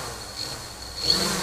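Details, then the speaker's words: Quadcopter, Cleanflight on Sparky v1, Turnigy Plush 30A ESCs with BLHeli v14, Sunnysky V2814-9 870kv motors, armed at zero throttle: high electric whir surging up and down uncontrollably; caused by flight controller vibration from too-soft anti-vibration foam. "right I'm not revving this it's on zero throttle and it's throttling itself up and down like a crazy thing wondering what's going on"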